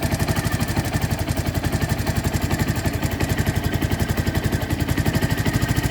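Steady idle with a fast, sharp tick riding on every beat, about four per second, cause not pinned down.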